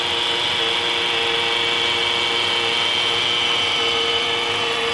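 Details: Honda Accord engine running: steady high-pitched whirring grind from a worn pulley bearing.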